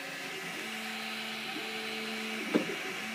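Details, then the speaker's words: MakerBot Replicator 2 printing an iPhone 5 honeycomb case: steppers hum in shifting tones with two sharp crunches about a second apart, overshooting and losing alignment. Suspected slipping during alignment, cause unconfirmed. 3D printer axis skipping. "You can hear it keeps getting crunch crunching on something a little bit like it's going too far."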